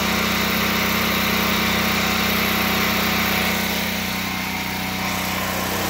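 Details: Predator 8750 generator in a shed, over 2 years old, just before fuel shutoff and shutdown: steady, even low drone at fixed speed, no misses or knocks; normal running.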